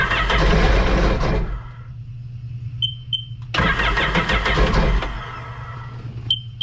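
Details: Two short bursts of firing that die away each time, with clicks between attempts; it won't stay running. This 2006 Sea-Doo Sportster sat about two years; old stale gas is suspected and the tank is to be drained.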